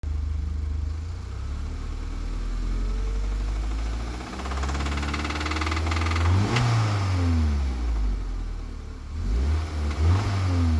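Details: Audi TT 1.8T BAM 225 hp quattro, four-cylinder petrol turbo, 172k miles, idling and revving with a faint, uneven engine knock over the running note; cause suspected, not confirmed.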